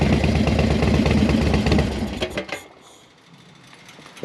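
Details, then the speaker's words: Harley-Davidson Dyna Wide Glide V-twin with easy start cams: runs, then shuts off with a soft thump at the end as the centrifugal exhaust compression release pops the valve at low rpm, normal. "got easy start cams have a a lobe a little uh centrifugal weight on the exhaust side and that low RPM it pops the exhaust valve open to relieve compression for easy start but you hear them th you hear them thumping at the end"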